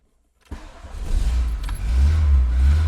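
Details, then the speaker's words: 1989 VW Golf Cabriolet with intermittent fuel delivery fault, suspected failing external fuel pump, next morning restart: brief crank, catches and settles to steady low idle, fuel pump barely audible; starts and runs normally this time. "Fires up. I did just notice actually that when I turned it on, I could hardly hear the fuel pump, which is interesting. But it's just fired up and it's back to normal."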